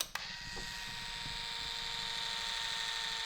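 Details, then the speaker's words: Kawasaki GPZ750 Turbo with a new Walbro GSL393 high-pressure fuel pump, ignition switched on. A click, then a steady high-pitched electric hum holding even pitch for three seconds: the fuel pump is priming normally. "That, to me, sounds like a fuel pump is working."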